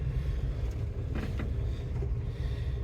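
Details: Old Dodge Holiday Rambler motorhome, stored over 20 years: low, smooth, quiet idle rumble with no popping, misses or hissing; the engine runs evenly; normal idle.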